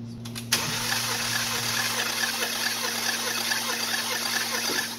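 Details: 2013 BMW 328i F30, N20 twin-turbo, 122k miles, diagnosed blown head gasket: steady starter whine with even light churning as the engine spins freely with spark plugs removed for a compression test; no firing, smooth crank.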